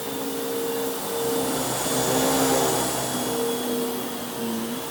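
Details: Bissell Lift-Off Multi Cyclonic Pet vacuum, model 89Q9, made 2013, 7 years old: steady high-pitched motor whir with airflow rush, even and unwavering, running smoothly.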